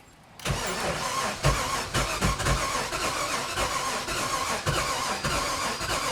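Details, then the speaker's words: 1996 Sea Ray 260 with carbureted big-block engine, sat for years: fast uneven starter cranking with occasional stronger pulses, never firing even on two jump packs; crank no-start, ignition timing suspected off. "after cranking the engines for a number of times the engine wasn't starting it almost sounded like the ignition timing was off something definitely wasn't right"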